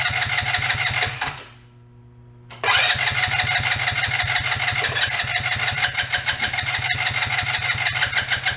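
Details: ATV that had sat a while, after draining old fuel and adding fresh fuel: cranks, dips briefly, then fires into a quick, even putter with no misses or rattles; normal starting and idle.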